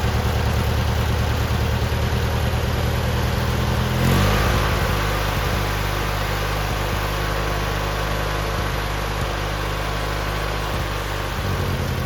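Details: Free abandoned lawn mower, old gas removed and tank cleaned, started on choke: cranks and catches at about four seconds, then settles into a steady idle with no stumbles. Normal idle.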